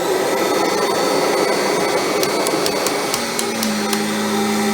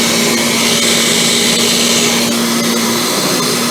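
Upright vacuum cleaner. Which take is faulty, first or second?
second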